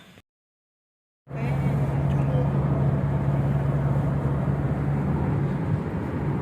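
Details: Toyota Innova Reborn on a toll road at 100 km/h after removing the roof rain gutter (talang air): steady low road and engine drone with no whistle or rushing air; the usual wind noise is gone, so the owner suspects the gutter causes it.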